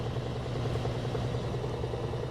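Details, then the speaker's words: Frigidaire washer-dryer FGX831FS5 with intermittent no-spin complaint, top open showing motor, belt and transmission: low, steady hum during spin, no grinding, thumping or squeal; normal spin cycle. "Looks good. Pretty smooth. Turn it off."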